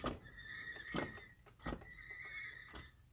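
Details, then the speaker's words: High-pitched squeal between transmission and transfer case in an LS-swapped Jeep with 4L60E, swelling with each slow forward turn of the driveshaft, about once a second; silent turning backwards; heard only at low speed in forward, possibly first gear; cause unknown. "gotta squeal what sounds like between the transmission and the transfer case so here's turning the drive shaft"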